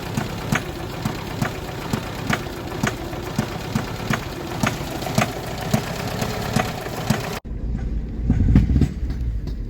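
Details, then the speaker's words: Tofaş Şahin, engine fully rebuilt 12 months and 3,500 km earlier, push-started after stalling in mud: sharp metallic clatter ticking over rough idle until it cuts out; oil light on, oil sprayed around engine; owner fears serious internal damage, cause unconfirmed. "bir ses var arabada böyle çak çuk çak çuk çak çuk çak çuk falan Demir demire vuru ulan dedim motor mu yedi araba yani dedim"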